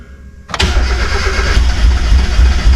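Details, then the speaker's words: 1991 Mazda Miata, reportedly knocking when parked, sitting and just refueled after running out of gas and fixing a bad relay connection: quiet, then the engine suddenly catches and settles into an uneven low rumble; hard starting. "tried to crank it and it wanted to start but it was out of gas so I went and got some gas and here we go we're going to see that little crank again [Music] she's trying to"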